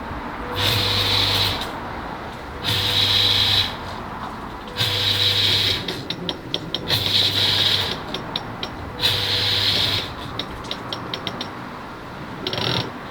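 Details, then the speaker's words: Oase BioTec Premium 80000 drum filter drive motor, not working for three months: five bursts of low electrical buzz with a hiss, about two seconds apart, with no run-up; the motor is stalled, buzzing but not turning over, and has failed. "removing it and trying to get anything any signs of life in it it were working so it were buzzing but it weren't actually turning over"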